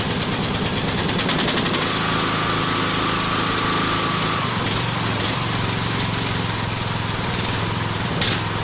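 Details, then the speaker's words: Craftsman LT1000 lawn tractor with snow plow, cold start at about minus 13 °C, premium fuel: small single-cylinder engine chugs steadily and holds a smooth idle with no misses or knocks; runs pretty good. "Runs pretty good."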